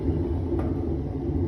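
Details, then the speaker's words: Whirlpool washing machine, disconnected from water, drum turned slowly by hand: low, gritty rumble; technician suspects worn transmission bearings, with water seen leaking, before disassembly. "al parecer el problema es de baleros vamos a desarmarla como dije y vamos a sacar la transmisión"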